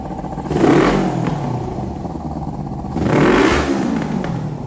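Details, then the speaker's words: 2003 Kawasaki Ninja 500R twin swapped into a mini bike frame on dual carbs, retimed, carbs partly tuned: settles at idle between two clean throttle blips, revs rise and fall smoothly; normal running and revving. "It needs a bit more, but I'll fire it up and rev it for you guys a bit."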